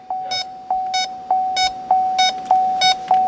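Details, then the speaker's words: CPS FX3030 leak detector set to R1234YF at most sensitive, wand placed down with fan blowing, system at 15% charge: short, evenly spaced beeps about every 0.6 s at steady pitch, normal search with no leak alarm. "So, okay, it's beeping. If it gets elevated or the bars go up on the identifier, if you want to come around and look on this end."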